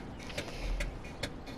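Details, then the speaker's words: BR Class 31 diesel-electric Type 2 locomotive at Minehead before start-up: sharp, even ticks about every 0.4 seconds over a quiet background from the Spirax valve cycling normally. "You can hear the Spirax valve ticking."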